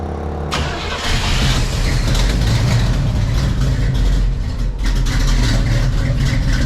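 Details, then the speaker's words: Numbers-matching 1970 Camaro SS 350ci V8 with 2200 miles, stored for years, on a new battery replacing a weak one: starter catches within a second, then a strong, steady deep rumble with no knocks or misses; healthy start. "so first things first let's get a battery in here and fire it up for you guys"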